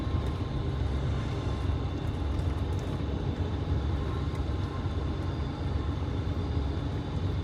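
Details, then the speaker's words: MCI 5C coach with upgraded Detroit Diesel 6V71, road test under full throttle: deep, strong steady diesel roar, no knocks or misses, exhaust smoke modest. Normal acceleration after power upgrade. "okay yeah mash it look at your exhaust it's not bad sounds good"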